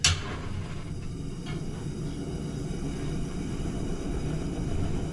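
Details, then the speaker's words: 1943 Coleman 220 BX lantern after disassembly and reassembly: burner lights with a strong, even jet-like hissing roar that rises slightly as the valve opens fully; burning clean. "sounds like a jet engine burning there we go open the valve up all the way"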